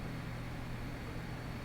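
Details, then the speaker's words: Swampdonkey OctalPus guitar amplifier, no pedals, recorded with camera mic in a quiet room: faint steady low hum and soft hiss while idling; very low, clean noise floor. "very very low noise and it's it's crushingly low noise floor beautiful right and you couldn't find about a quieter space"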